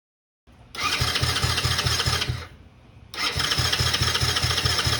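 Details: 2009 Coolster 125cc ATV stored 9+ years: two bursts of fast rhythmic starter churning with no catch, so it cranks but won't start; debris later found in the carburetor.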